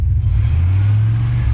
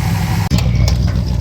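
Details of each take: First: Pickup truck that revs fine but won't pull under load: rumble sags and cuts out; running very rich while scanner reads lean, computer cutting fuel, O2 sensor suspected. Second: Classic car started after vacuum leak repair: steady, low, even idle with no hiss or sucking noise; vacuum leak no longer audible, normal idle.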